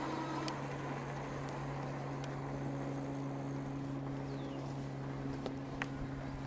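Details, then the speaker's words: Puckipuppy Poodle cruiser e-bike with a 750 W motor and 2.5 in street tires, riding: steady low motor hum under road noise, audible but not loud, with no grinding or clicking; a healthy hub motor. "Now, it is a 750 W motor and you do hear it. It's not overwhelmingly loud, but you could probably hear it on the audio."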